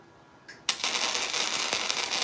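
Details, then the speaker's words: First-ever flux-core MIG weld, 0.030 wire on 1/8-inch material, wire speed 200: brief buzz then uneven spitting crackle instead of smooth sizzle; suspected too little wire feed, looked better at 220; erratic crackling weld arc. "that sounds bad. You hear it like, you guys hear it? It's like, more wire speed. 200 is too slow."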